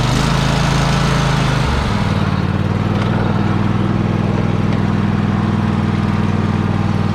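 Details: Free Troy-Bilt riding mower, started with help while the carb shut-off solenoid clicks, needing a solenoid: steady, even twin-cylinder beat with a smooth low drone holding pace, running healthy. It moves in reverse, though the belt smells burning and is possibly the wrong belt.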